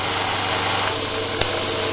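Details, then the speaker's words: Homemade 2x72 belt grinder at full speed (10 of 10) on a metal table without rubber feet: steady high whirr with faint buzzy rattle from the back; only mounting vibration against the table, normal running. "That sound is just the little bit of vibration back here. There's yeah, it's just this is on a metal table."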